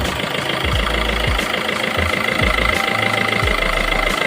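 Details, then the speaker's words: Maruti Suzuki SHVS mild hybrid at idle, noise from the belt-driven starter-generator area. Steady high whine plus uneven knocking about four times a second; cause still being diagnosed, voltage check next. "ये देखिए आवाज आ रहा है यहां से। अब इसका हम प्रॉब्लम दिखाएंगे आपको।"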